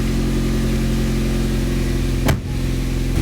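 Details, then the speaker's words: Mitsubishi Lancer Evolution X engine started for the first time after sitting over 10 years, after cooling system refill and oil-pressure priming; starts right up and idles steady and even, no knocks or misses; check engine light went off; normal idle. "starts right up is off check engine light went off"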